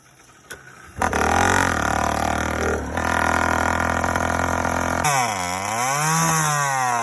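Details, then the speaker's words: First run of a YD100 two-stroke after reinstalling a Dio reed valve, newly ported cylinder and self-windowed piston, still untuned, recorded outdoors with the phone in a pocket. It catches after a cough, buzzes steadily, then swings with throttle blips; healthy, eager running. "starts up easy though boy sounds good too"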